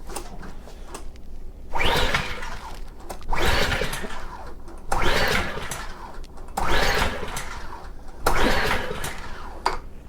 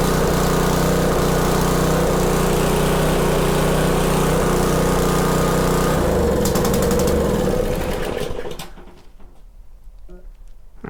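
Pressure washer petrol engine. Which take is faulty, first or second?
first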